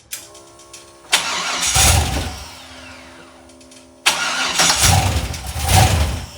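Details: Cheap LS 4.8 LR4 V8, hot, given a last hard rev on the run stand before teardown: rough metallic internal knock getting worse; earlier suspected lifter or piston, cause unconfirmed.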